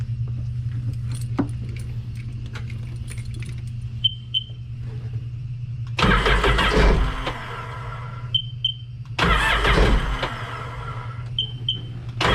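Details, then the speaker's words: Two long cranking bursts that never catch, with short beeps between tries. On this 2006 Sea-Doo Sportster, sitting about two years, it finally runs briefly; the old gas is blamed and the full tank is to be drained. "got to love old gas better okay so we know that it runs really the next thing that we're going to have to do is probably drain most if not all of the full tank of gas that we have and it should start right up"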